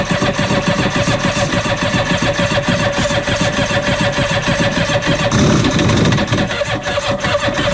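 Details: 1993 Yamaha WaveRunner 650LX two-stroke, first start on a newly installed carburetor with fresh mixed gas; the fuel valve is being switched to on. Choppy, uneven pop-and-buzz. Running, but rough.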